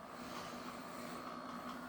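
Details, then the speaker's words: Bachmann GP40 Rio Grande DCC model locomotive running light with no cars, creeping slowly: soft steady electric motor hum with a thin high note, noise improving somewhat as speed rises; motor hum. "but it is pretty pretty good and slow but you can still hear that noise now it does get a little better noise wise when we speed up"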